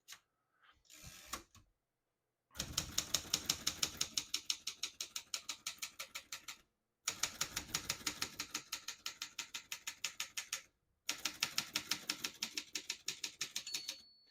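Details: Serviced 1972 Consul 231.3 ultra-portable manual typewriter: brisk even keystrikes about three per second in bursts with clean line pauses; all functions working, healthy typing and carriage return.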